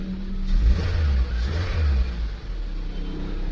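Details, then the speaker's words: Suzuki SX4 after fixing a crank-but-no-start fault, starts on one click: deep smooth engine note rising and falling cleanly with throttle, no misses or knocks, no shake, revs normally. "So doon tayo sa makina so Ayan Normal naman nasa sobrang tining pa nga ng makina napaka smooth anan oh kahit konting alog Wala eh sobrang tining"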